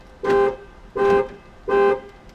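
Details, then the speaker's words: 2008 Ford Mustang after replacing the smart junction box to fix long-dead horn, power mirrors and windows; three strong even horn blasts via the key fob panic button, clear steady tone: horn working normally. "stop it yeah panic button works and I have horn with the panic button y'all"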